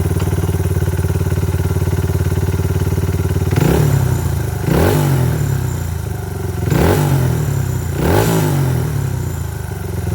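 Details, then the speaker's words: Honda XR/CRF100 with BBR 120cc big bore kit and FMF exhaust, second heat cycle after cooldown: steady low single-cylinder thump with four clean throttle blips rising and dropping smoothly; normal revving. "It's on its second heat cycle here, so I can rev it up and you guys can hear what it sounds like. It sounds pretty good with that FMF exhaust and that big bore kit."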